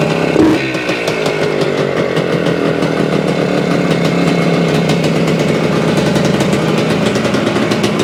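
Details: 1975 Suzuki TS-250 two-stroke, first start after a no-start, about 30 degrees out: crisp, rapid buzz holding steady speed for several seconds without stumbling or cutting out; runs clean after stator rewiring and coil ground repair.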